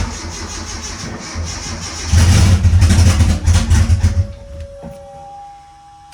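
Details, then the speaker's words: Mitsubishi Eclipse GSX AWD turbo nitrous drag car, cold start after sitting weeks, not yet tuned, battery 11.9 V: fires after cranking, revs unevenly and lumpily before settling; rough cold start, owner expects it from lack of tune. "so this is gonna be a cold start so it's not tuned yet so it's probably gonna start like crap but deal with it because race car"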